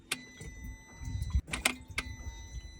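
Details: Polaris Ranger 900 XP after replacing a failed fuel pump, key on while testing murky fuel for water: a faint, steady high electric hum under a few sharp clicks; the new fuel pump primes and runs normally, though the fuel is contaminated.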